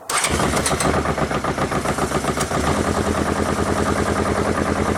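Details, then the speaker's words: 1981 Honda CB750K parts bike on choke: the four-cylinder catches and holds a fast idle of about 3000 rpm without dropping back (later about 1000 rpm, possibly not on all four); high idle. "all right too much of rpm that was about i was probably about 3 000 rpm"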